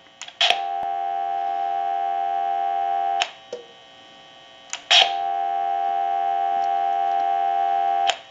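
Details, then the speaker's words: Artist-painted Trimline telephone during checkout, handset audio picked up through an amplifier: hook switch clicks down, then a steady two-note dial tone holds for seconds. Normal dial tone. "and when i push this down you're going to hear dial"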